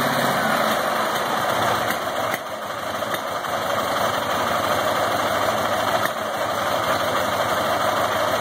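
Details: Ural IMZ-8.103-30 boxer motorcycle, K-2401 carburetor, Sovek ignition, at idle: uneven beat with occasional dull pops and dips, backfiring into the carburetor; diagnosis: cam timing marks misaligned.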